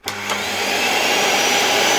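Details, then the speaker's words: Old removed motor from an LG V-3340D vacuum, which had begun running loudly, run on the bench from a power supply with voltage raised: loud, harsh whine with rough hiss holding steady at full speed; owner suspects a damaged bearing, not confirmed. "raise it. Oh, you could hear it for a moment now. Okay, I won't bother the motor any further, but you definitely heard it. I'm not sure if this is the case... I'm disconnecting everything here. I'm taking out the motor again. I admit I'm not sure if it could be the bearing, which I think is already damaged."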